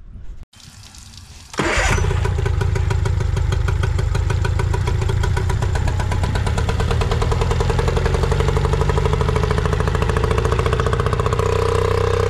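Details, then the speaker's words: Nissan 18 hp two-stroke remote-start outboard after carb and fuel filter cleaning: catches and settles into fast pattering idle with an uneven beat; runs and accelerates fine but idle rpm inconsistent, idle pilot screw suspected. "update on this Nissan 18 horsepower so we clean the carb and it runs and it accelerates right but the idle is inconsistent the RPM that idle"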